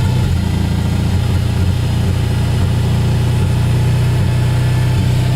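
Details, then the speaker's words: Jeep idling with an uneven, recurring stumble while the battery reads about 14.65–14.75 V charging; definitely missing on one cylinder, which one unknown, owner suspects it may be low on gas. "Big Time missing on a cylinder somewhere but anyway she is juicing now"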